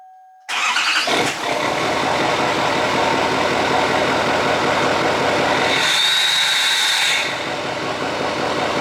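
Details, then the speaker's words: Duramax diesel that had cold no-start from air in the fuel system, after fuel system fix and with block heater plugged in, 41 degrees out: short crank, catches at once, steady even clatter, no high idle needed; healthy cold start. "okay so as you can see fires right up no issues doesn't even need to kick into high idle because it's so warm and toasty and ready to roll"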